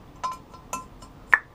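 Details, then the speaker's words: 1975 Honda CB750 head with replaced valve guides, finger over the bottom of the guide as the valve is pulled out: three short sharp suction pops, showing good valve-to-guide fit with no excess play. "one of the ways to measure it is to see if you can have a popping sound as you pull the guide out using your finger to kind of cover the bottom of the guide"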